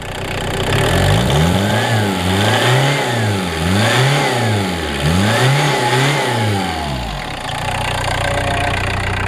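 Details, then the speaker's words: Turbo diesel (no glow plugs) revved with repeated clean throttle blips, pitch rising and falling evenly with a faint turbo whistle on each rev; running great, healthy. "never tried this exhaust tip noise thing you can actually hear the turbo in there right now though"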